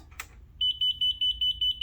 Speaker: you go to six throttle control not at center at startup